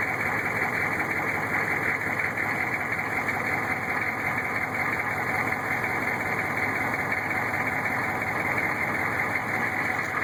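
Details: Newly installed rebuilt 6.5 diesel long block idling, heard from below with the inspection cover off: dull, uneven knock about twice a second under the clatter, loud in cab. Rocker oil flow weakens toward the rear; flex plate and converter bolts fine; cause unknown.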